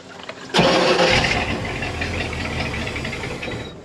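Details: 1986 Shamrock 20 boat, Ford 302 V8 not started in three years: starter churns it over steadily for about three seconds without firing; crank no start, fuel starvation with a dry carburettor.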